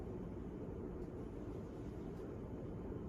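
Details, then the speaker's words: Hunter Passport ceiling fan, guessed about 1988, found curbside, broken pull chain so runs only on high, starting up and picking up speed; soft even air rush, no ticking, rubbing or wobble; normal running. "yeah like if yeah this fan make the boys are just like are making that noise because um how it's like picking up the speed"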